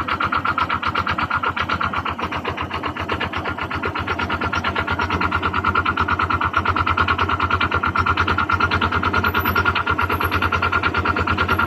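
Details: Honda Click 125 FI scooter engine before overhaul; a sharp, regular knock rides over the idle throughout; connecting rod knock inside the engine.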